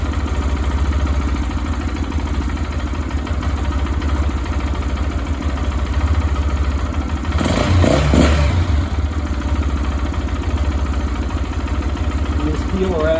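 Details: Lifan KPR 200 motorcycle just after valve clearance adjustment (intake 0.08 mm, exhaust 0.12 mm go) and iridium spark plug: single-cylinder thumping at steady idle, about three beats a second, no ticking or rattle; normal idle.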